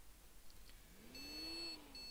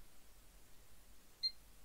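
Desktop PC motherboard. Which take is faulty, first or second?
first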